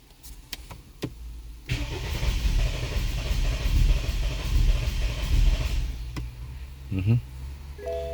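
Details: 2013 BMW 528i xDrive F10, N20 engine, crank no start: starter spins steadily about four seconds but never fires; spark, injectors, fuel pump, cranking rpm reportedly fine; charge pressure sensor code present, timing issue suspected, cause unconfirmed.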